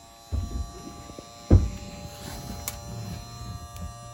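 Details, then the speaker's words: 2010 Nitro Z8 bass boat's newly replaced live well pump running with a quiet, steady low hum and no rattle or surging; it sounds healthy. "And you can hear we got the pump running. It's making a good noise that we like."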